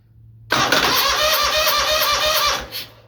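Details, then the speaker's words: Lawn mower with hard/no start, new solenoid, clean battery cables: with solenoid wire pulled and jumped, quick even starter whirr for about two seconds then engine catches; fast healthy cranking, unlike slow cranking or clicking with the key. "But when I pull the the wire off and jump it, it uh turns over really fast."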